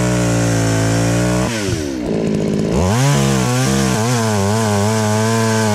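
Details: Chainsaw, after high-speed screw adjustment cured a bog: two-stroke runs clean, drops to a steady idle, then revs up smoothly under load without stumbling. It sounds healthy and strong.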